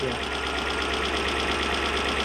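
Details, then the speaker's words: Toyota 1UZ-FE V8 in a Surf/4Runner after repair of a half-engine misfire: smooth, steady idle with an even low hum, no misses, all cylinders firing; normal idle. "It sounds so much healthier now, doesn't it? All cylinders. Yeah. All cylinders, it's great."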